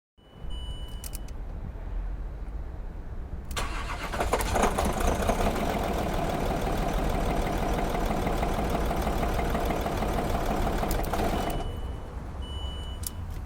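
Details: Land Rover Discovery 3 2.7 diesel, mileage believed to be about 280,000 km, running eni i-Sint 5W-30 oil: a rapid, uneven knock of about three or four beats per second grows steadily louder as the bearing shells spin; rod knock.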